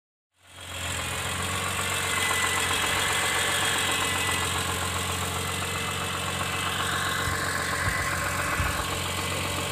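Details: BMW E46 M3 S54B32 idling with a steady deep rhythmic rod knock; verified worn rod bearings and damaged crankshaft.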